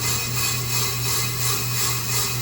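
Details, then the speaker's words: GMC Sierra 2500HD brake rotor being machined on a lathe with a chatter spring: the cutter scrapes in a once-per-turn pulse, touching only one spot on the first pass, showing the rotor is out of true. "yeah but from the sound you can really tell it see look it's out yeah you can tell right there"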